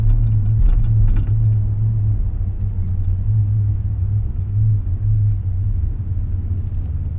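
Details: Ford F-150 driving just after a cold start at 2–4°C, happens daily under 10°C: deep droning hum under road rumble, swelling and easing, stopping when turning left; dealer found nothing wrong.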